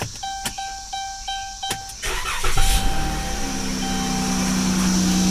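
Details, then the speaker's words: 2015 Chrysler Town and Country, 3.6 Pentastar, over 200,000 miles, which squealed badly when cold: after the serpentine belt, tensioner and pulley were replaced, a chime, short crank, then a smooth, steady idle with no belt squeal. "no squeal and that is how you do the serpentine belt tensioner and pulley on a Chrysler Town in country a Dodge Grand Caravan with the 36 penar engine"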